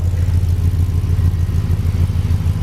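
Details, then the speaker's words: 2006 Chevy Express van with 340,000 miles, cats removed, Magnaflow muffler and shorty headers fitted to fix an exhaust leak, collector retightened: deep, even low rumble at idle, a little quiet, no ticking or puffing from the headers. Normal idle. "it is a little on the quieter side I'm gonna have to give it a little RPM in a second"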